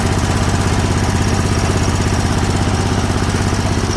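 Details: Snapper Pro 48-inch zero-turn mower, running after Seafoam was added to clear a suspected gummed-up carburetor: low, even thumping at low throttle with a steady beat and no misses or knocks; idles smoothly.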